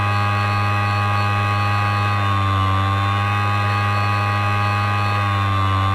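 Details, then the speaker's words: Hard drive with a damaged spindle motor bearing or coil: loud steady hum with a whine wavering in pitch from uneven spindle speed; the fix is moving the platters to a donor drive. "cuando se daña el cojinete del motor del luillo o si la bobina se daña desde el interior la velocidad del motor del luillo en el disco duro no es constante debido a esto se creará un sonido"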